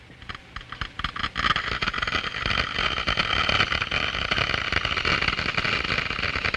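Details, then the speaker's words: Water in a glass venturi boiling at room temperature in the low-pressure throat as flow rate increases; scattered crackles swell into dense steady hissing crackle as cold-steam cavitation bubbles collapse entering the higher-pressure diffuser. "bubbles are formed these are cavities filled with cold steam and other gases diffuse from the liquid the noise is generated by the collapse of these problems as they move into the higher pressure in the diffuser"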